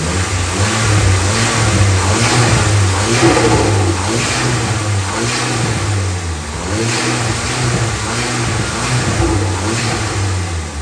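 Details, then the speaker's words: Vauxhall Nova after welding work: clean repeated rises and falls in revs, even exhaust note, no pops, bangs or misfire; sounds all good. "That sounds all good."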